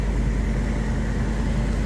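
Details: One-owner, all-original 1991 Suburban 1500 with 50,504 original miles, first start on a new battery after sitting: low, steady idle rumble with even beat, no ticking or knocking; good oil pressure, normal healthy idle.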